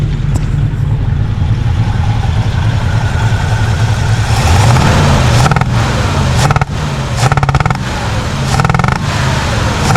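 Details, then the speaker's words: 1967 Chevrolet Impala 283 V8, freshly restarted: steady idle broken by sharp irregular pops spitting back through the carb. Exhaust sounds good, no valve noises; suspected one intake valve not sealing from rust at the seat or gummed stem. "oh girl sounds good at the exhaust but that popping through the intake that's showing it's got a stuck intake valve or an intake valve but this is sealing completely"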